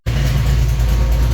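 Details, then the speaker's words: Notchback V8 after a nitrous test: deep, rough, uneven lumpy drone with smoke from the exhaust; coolant system pressurised but not overheating, no oil mixing yet; owner concludes a blown head gasket and plans to pull plugs. "look at the smoke coming out the back definitely a head gasket is Sho"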